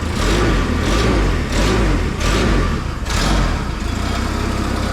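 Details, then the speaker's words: Propane mini forklift engine after fixing the propane intake blockage and the throttle linkage, alternator not yet working: clean, repeated throttle blips about once a second with no stumble. Throttle responds properly; a slight rattle is probably the exhaust. "working good, man. Sounds nice. Got a little rattle somewhere."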